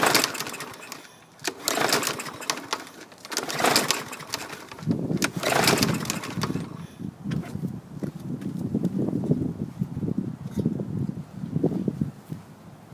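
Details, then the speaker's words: Lawn mower, intake fouled after running without foam filter: a few pull-cord cranks with whirring bursts and compression strokes, never firing; possibly water in cylinder; cranks, won't start. "sounds like it's got compression but no action i don't know cylinder full of water who knows something ain't right"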